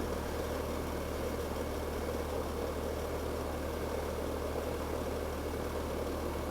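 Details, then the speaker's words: Older outdoor AC condenser unit, just switched on and running: a constant, low droning hum with heavy rumble underneath. It is louder than a typical unit because of its age; loud running noise, exact cause unclear. "It's an older one, so it makes a little bit more noise than your typical AC unit, but I'll show you exactly how to make it quieter, and all the first things that I show you are all things that you can do right now for free."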